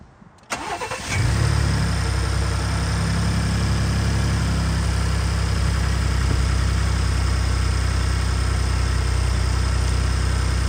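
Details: 2018 Ford EcoBoost V6 truck starting and settling to idle before the ProLube oil treatment: light, quick sewing-machine tick and rattle over the low hum, persisting even after cam phaser replacement.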